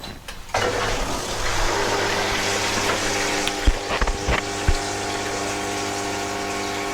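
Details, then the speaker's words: Lay-Z-Spa Palm Springs Airjet (Bestway) hot tub filter pump just switched on after the pump water leak repair: steady low hum with water rushing and splashing plus a few handling knocks; runs evenly. "so far so good hopefully you can hear me over the pump"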